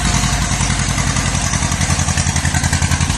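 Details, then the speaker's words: Healthy idle of a 1950s–60s John Deere bulldozer, just revived after sitting 20+ years in a garage; slow, regular two-cylinder putter, evenly spaced, steady as it warms up. "It's alive! It's alive! Let it warm up for a little bit there and lift up the bucket."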